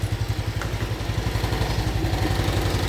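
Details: Honda Wave 110i fuel-injected motorcycle after installing a new battery (old dead battery couldn't power the fuel pump to start): steady, even single-cylinder putter, about four beats a second, no misses; normal idle.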